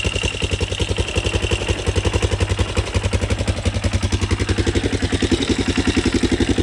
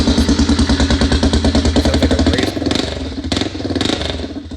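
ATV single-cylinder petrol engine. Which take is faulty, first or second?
second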